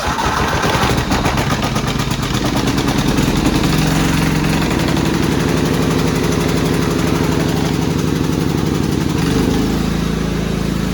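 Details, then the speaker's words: Cub Cadet rider's 16 hp horizontal-shaft Kohler, warming up on very dirty old oil before an oil change: steady, even single-cylinder putter at constant speed with no misses or knocks. Healthy idle, runs great now. "let it run for a minute i don't want to run it too long this oil is disgusting but it runs great now"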